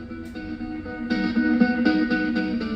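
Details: Marshall Woburn 1 speaker after amplifier board replacement: guitar music plays clean and even with no pops or crackles; previously gave constant periodic shorting/clicking noise through the speaker, fixed by new amplifier board.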